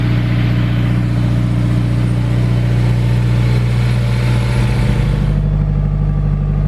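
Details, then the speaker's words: Turbo S2000 first start after rebuild, with remote oil cooler: strong, even low engine drone with one smooth settle in pitch; fresh build runs cleanly. "there is a lot of stuff in that engine bana so we didn't take a break but it sounds good we're gonna run it a little"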